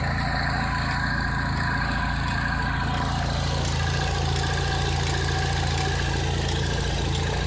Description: Cobalt SS rough idle when taking off the oil cap.